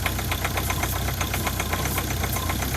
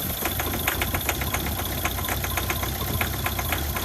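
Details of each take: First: Ford Focus diesel at a 2 °C cold idle, with the original vacuum pump suspected of failing and the injectors already changed: a light clatter over an uneven, lumpy rumble, with weak vacuum at the pulled pipe. Cause not confirmed. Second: Ford Focus diesel after replacing the original vacuum pump, suspected of causing turbo, brake and start-up problems: steady idle with fast, even clatter, no odd knock or misfire; normal diesel idle.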